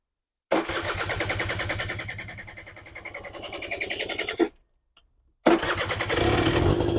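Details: Suzuki LT80 80cc two-stroke petrol quad, cold, fuel tap suspected faulty earlier: rapid uneven popping that fades and stalls, then catches on a bit of choke and runs ragged, a hard cold start.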